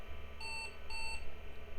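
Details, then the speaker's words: IBM 5160 PC XT, missing hard drive, first power-on POSTs with no smoke: two short identical high beeps over faint hum; keyboard error, apparently not accepting the MMG keyboard; owner expects an active XT-to-AT adapter is needed. "and we got keyboard error so I guess it doesn't like this MMG keyboard"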